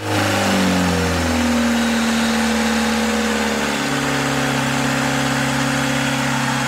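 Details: Old marine diesel engine restarted after sitting five years, following a revival procedure: it catches, revs briefly, then settles into a steady even idle with no knocking; running fine.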